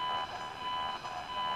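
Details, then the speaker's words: ATS-20 radio with its telescopic whip, the ATS-25's screen held right beside it: a steady thin whine with a faint buzz over hiss, no signal. The interference comes from the ATS-25 display and stops when the ATS-25 is switched off. "and you can hear the ats 20 is picking up the noise from the screen and just to demonstrate i'll turn the ats 25 off and the noise goes"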